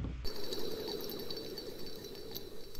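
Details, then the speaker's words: Idler pulley from a Corvair rally build, spun by hand: a thin, ringing whir with a rough hiss, suggesting a dry bearing; unconfirmed. "that thing is dry"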